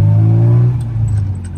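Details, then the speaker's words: 1995 Rover Mini Cooper 1.3 SPi with a newer center-exit exhaust, driving with the windows open: a deep, throaty drone pulls cleanly, then eases off as the throttle lifts, with no rasp or blowing. Healthy exhaust note. "I just wanted everyone to hear that exhaust, as it sounds fantastic. Yeah, great car. The exhaust sounds awesome."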